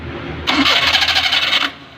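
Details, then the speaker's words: Maruti Suzuki 800 carburetor engine, intermittent starting noise from the starter side: harsh, rapid metallic grinding about a second while cranking, consistent with starter pinion grinding on the flywheel ring gear. "ഈ ഒരു സൗണ്ടാണ് പ്രശ്നം. അതായത് ഈ ഒരു സൗണ്ടാണ് വണ്ടി start ചെയ്യുമ്പോൾ കേൾക്കുന്നത്."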